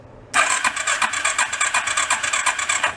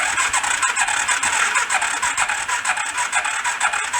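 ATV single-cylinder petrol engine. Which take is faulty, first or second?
second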